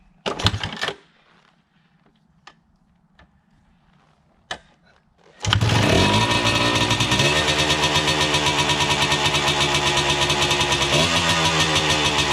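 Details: 1979 Yamaha IT 250 two-stroke after 15–20 years in storage, carb cleaned, first start: a few kicks and quiet gaps, then it catches and settles into a crisp, even, buzzy run with no misfires.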